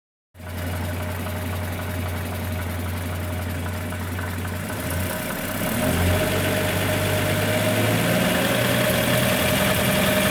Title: 1941 Chevrolet 216 stovebolt 6 strange engine noise